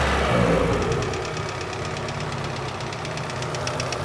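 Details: Renault Megane 2 1.6 automatic after an expensive major engine repair: light, quick ticking about four per second over a steady idle; the new hydraulic lifters were quiet at first, and the ticking began later. Source unconfirmed; the valve cover is to be removed.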